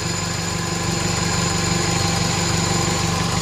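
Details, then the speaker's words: Old Toyota Great Corolla idling with engine flush additive in the oil for about 15 minutes before an oil change. Smooth steady hum, rpm stable, temperature rising, no ticks or knocks. Normal idle. "cukup halus ini suara mesinnya"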